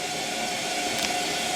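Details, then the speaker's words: Bosch Classic washing machine motor running after repair: steady, even hum with a smooth whir and no squeak or rubbing. It works normally apart from a small door-seal leak, temporarily patched with gasket maker. "But yeah, this thing is, apart from that little leak in the seal, this thing is working. Sounds like it's working well too."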